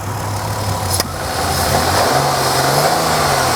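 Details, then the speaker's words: 1998 Ford Contour after fixing a no-start, warming up outside while residue burns off: steady, even engine note that climbs slightly and holds with no misses; normal running engine. "no misses, no nothing. I mean, the engine runs good."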